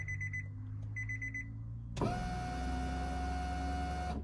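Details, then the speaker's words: 1992–1995 Honda Civic after in-tank fuel pump replacement, key turned on without starting to prime: chime beeps then a steady two-second electric whine that cuts off cleanly, no leaks; normal fuel pump prime. "So you turn the key on, don't start it, turn it off, turn it on, turn it off. Do that about 3 times and come and make sure you have no leaks."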